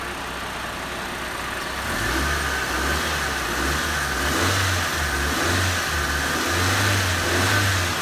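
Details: Diesel engine revving in a few blips after a squeaky drive belt fix: rises and falls with a clean, even drone and no belt squeal on acceleration.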